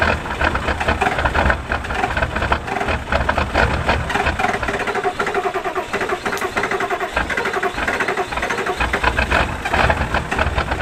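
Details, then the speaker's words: 1986 Ford F250 with turbo 7.3 diesel, cold morning on a winter trip north. Rough, uneven chugging and knocking as it labours to catch and settle; a hard cold start. "she's ornery this morning."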